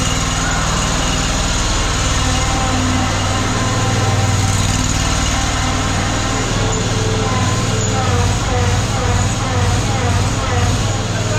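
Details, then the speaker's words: Cold idle on a Ferris ISX 3300 mower after fixing a seized idler pulley and binding wheel spindle; steady, even petrol idle, slightly lumpy while cold, no knocks or misses, with the idle dropped all the way down. "he's parises don't like the idle when they're cold I dropped the item all the way down big difference"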